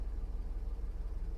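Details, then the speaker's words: Revived 1997 BMW 740i V8, after fuel pump replacement and fresh fuel, idling after a short drive: a low, smooth, even rumble with a steady pulse and no knocks or rattles; clean idle. "she is alive and well oh I'm a happy camper I am a happy camper she sounds really good"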